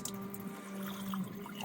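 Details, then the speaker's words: Camper van water pump running with the hot tap open, purging a water heater drained for winter: steady low pump drone with uneven spitting and gurgling at the tap as the pump pulls air before priming. "So we've got the hot tap on, the pump's going. There we go, we're starting to get some water. Oh, we're pulling air. She's pulling air. She's pulling air, guys."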